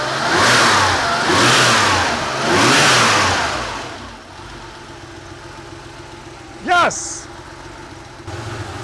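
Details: Porsche 911 Carrera 3.2L on engine test stand, long-sitting engine, after cleaned injectors reinstalled: three clean smooth throttle blips then steady even idle, healthy; fuel pressure about 2.1, oil warming.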